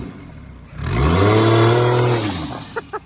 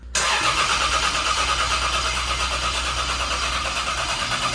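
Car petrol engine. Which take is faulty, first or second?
second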